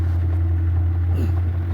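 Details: Classic Kenmore washer that would not wash or spin because of a broken motor-to-transmission coupler, heard after the repair with the agitator reinstalled. A deep, steady motor hum with no knocking or grinding. Normal spin.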